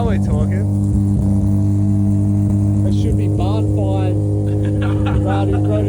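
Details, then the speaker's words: Barn-find Mazda RX3 rotary coupe, owned since 1992, restarted after about 3 months sitting following a battery terminal fix, compression tested good; deep, steady, smooth rotary hum, no smoke, no misses or rattles; normal running. "Yep. Yeah, there you go. That sounds mean. No smoke at all, brother."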